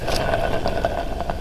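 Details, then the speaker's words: 1942 Farmall M transmission bearing spun by hand during restoration: gritty uneven rumble with clicks, bearing full of pitting, would scream with engine running and clutch engaged. "that bearing's full of pitting and that's going to make a horrible noise when the end listen to that that is just going to be screaming"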